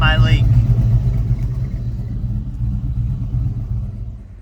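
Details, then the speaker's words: LS V8-swapped OBS Ford Bronco at idle, with no RPM, coolant or oil-pressure gauges working yet: a deep, even V8 burble at steady idle with no knocks, misses or ticks. It sounds healthy. "But I'll fire it up and we'll see a little idle clip."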